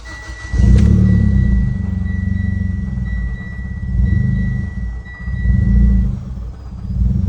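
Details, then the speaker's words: Mitsubishi Ralliart after vent-to-atmosphere crankcase conversion, warm restart after idling just under 1,000 rpm: engine catches then surges and sags roughly every second, near stalling; hunting idle, owner traced it to the CCV valve on the aluminum valve cover, likely not pressed in fully. "Yeah, that's the problem. So I figured out what it was. It was the CCV valve that you have to press in back here on the aluminum valve cover."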